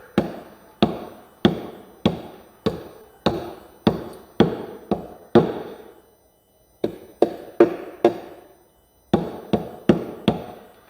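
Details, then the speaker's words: Knuckle taps along a Cerwin Vega AT12 speaker cabinet side: a few ring hollow where an internal brace has likely separated, causing the cabinet rattle, then solid again further along. "you can hear that little bit of you can hear that little bit of hollowness to it and almost kind of and then now it's solid again so i'm going to say it's good up here [Music] there's a good chance it's separated"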